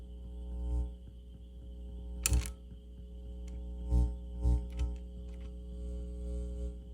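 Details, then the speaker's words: Harman Kardon 300B amplifier: irregular low thumps and putts over a steady hum, about one every second or two; motorboating from a very sensitive section that needs securing down, possibly a related capacitor. "yep i'm picking up a motorboat over here went away dang okay well i think the customer will be just happy with this the way it is um i didn't hear that motorboating before maybe the other cap maybe it's sister cat needs to be"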